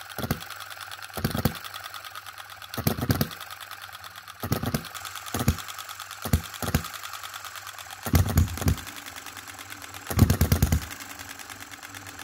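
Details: 2022 Enjomor Chinese hit-and-miss engine after valve timing correction (exhaust opening just before, closing just after exhaust stroke), extra governor weight lead and a small adjustable spring for quicker latching. Slow firing bursts every one to two seconds with quiet coasting; normal hit-and-miss running.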